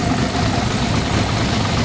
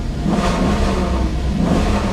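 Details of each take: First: Maserati Quattroporte S 4.7L V8 with the cats removed and the fuel system run with carb cleaner: a loud, uneven, lumpy idle that stumbles and stays bad with throttle, with smoke under the hood; rough idle unchanged after the work. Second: 4.7L V8 Maserati Quattroporte S, catalytic converters removed for diagnosis: deep, even rumble with smooth rev swells, sounding decent and much better, though it later runs badly again in sport mode.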